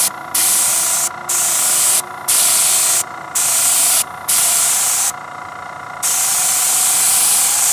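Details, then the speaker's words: Paasche airbrush on a Master Airbrush TC-40T compressor, paint thinned about 50% with water: clean hissing bursts about a second long with short pauses as the trigger is worked; spraying normally. "So as you can see now, it's nice and watery in there. I put like about 50% water in there."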